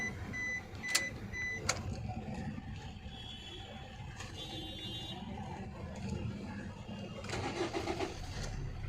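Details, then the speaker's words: 2011 Maruti Suzuki Swift Dzire diesel after fixing a no-start with blinking immobilizer light, traced to a low 4.5 V supply pin; dash chimes, starts cleanly, steady idle about 900 rpm, no check engine light: normal start and idle. "and starts fine RPM is about 900 no check engine or malfunction light on cluster everything on its place, work is done"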